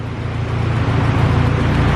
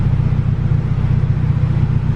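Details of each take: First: Honda Civic EG hatch, stock LS with VTEC head on non-VTEC bottom end, basic turbo manifold, chipped P28 ECU. It ran rich because the tune was set for a 4-bar MAP sensor; with the stock MAP setting it now idles with a smooth, even rumble and no misfire. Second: Turbo LS VTEC Civic EG hatch on chipped P28 ECU, restarted after reflashing with fuel pulled from idle: deep, slightly uneven idle with faint popping; lean, air-fuel ratio bobbing 14.8–15.6 versus target around 14, so about 5% fuel to be added back.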